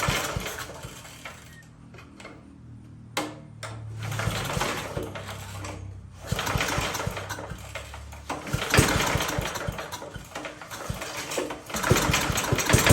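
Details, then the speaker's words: 1982 Billy Goat machine after an ignition swap, now with good spark: cranks and fires in short ragged bursts on starting fluid only, then dies; fuel not reaching it from the carburetor. "we're going to spray this thing and we're gonna actually hear it fire off"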